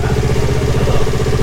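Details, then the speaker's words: Yamaha R25 with a swapped-in Yamaha R3 engine block at its first start after the build, on a borrowed Akrapovic exhaust: a deep, round, steady twin idle with an even low thump and no ticks or knocks, running normally. "gokil banget. Suaranya lebih bulat. Suaranya lebih nggak bulat daripada orinya R25 ya."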